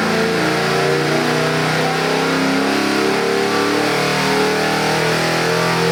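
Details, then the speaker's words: 347 small-block Ford crate engine (302 block, ~430HP) on dyno for 1970 Mustang, Edelbrock 750 carb, MSD distributor: strong even revving, clean steady drone, no knocks or misses; good oil pressure, AFRs on target, healthy. "That is so nice. Beautiful oil pressure. AFRs are right where I want them. What a gorgeous motor."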